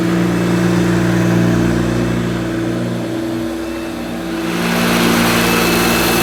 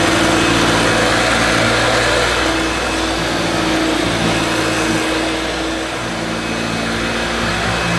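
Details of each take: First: 1971–74 Hoover Dial-A-Matic 1149 upright vacuum cleaning low-pile carpet: loud steady motor hum that dips briefly then recovers as it's pushed; owner judges it sounds as it should, just noisy. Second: 1971–74 Hoover Dial-A-Matic 1149 upright vacuum with new bag, carpet suction on max on a long-pile rug: steady motor drone with a coarse, uneven rasp over it; owner thinks motor is okay and suspects the agitator.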